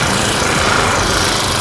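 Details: Honda GX35 brush-cutter four-stroke after rebuild with a new cylinder liner and piston rings, petrol, warm-up test: a high, steady buzzing run with an even, unbroken note. The engine runs cleanly.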